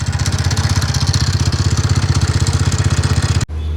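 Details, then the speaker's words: TVS Ntorq BS6 scooter, 38,660 km: heavy, even tak-tak knocking at about four per second over a rough idle right after start. Owner says the piston has seized; internal wear suspected. "जब हम इसको start करते हैं ना sound create होता है एक टक टक टक बहुत तगड़ा भाई"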